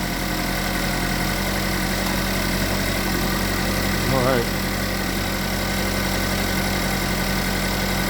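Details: GMC Terrain with code P0011, idling just after timing chain tensioner, oil control valve and harmonic balancer work; steady, even low hum with no chain rattle or slap. It runs smooth, no vibration.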